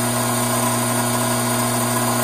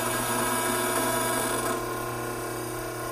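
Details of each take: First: Hydraulic pump cavitating with a restricted inlet: inlet vacuum up from 3 to almost 16 inHg, pressure down from 310 to just over 200 psi, fluid heating from 87°F toward 100°F. Loud steady hum with a hissy, gravelly rush on top. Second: Hydraulic pump just after the inlet restriction is opened, ending cavitation: rough, agitated hiss settles within seconds into a steady, even, clean hum. Vacuum and pressure gauges return to normal.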